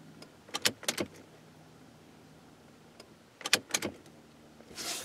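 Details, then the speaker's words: Buick LeSabre sitting about a decade, key cycled with a temporary steel brake-line fuel line and no return line yet: short buzzing bursts then a hiss as air purges, with the electric fuel pump running and priming and fuel not yet at the rail. "anyway I don't need to go in there I can hear the fuel pump"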